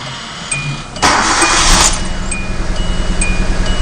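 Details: 2010 Hyundai Accent running rough, flashing check-engine light, codes P0300–P0304; after swapping coils the cylinder 1 misfire moved to cylinder 4: quick start, then an uneven, recurring stumble at idle. Bad ignition coil pack, fixed by replacing it.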